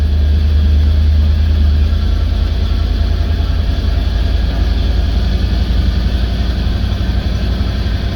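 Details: 1989 Chevy C60 school bus conversion idling with a deep, steady rumble after a new fuel pressure regulator and inline filter and an idle adjustment; the earlier bogging and backfiring are gone.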